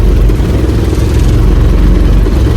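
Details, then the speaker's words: Mercedes OM617 diesel in a Jeep, dead cold after primer and lift pump repair, glow plugs held long, no throttle: fires straight up, settles into even steady clatter without stumbling; normal cold start. "So I'm hoping that it still fires right up like it did yesterday, even after a cold start."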